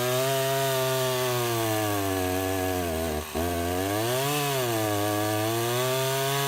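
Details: Husqvarna 353 chainsaw after restoration (gas line and chain drive repaired, carburetor just tuned), test cut: screams at steady high revs, pitch dipping briefly in the wood and recovering cleanly; strong, healthy running.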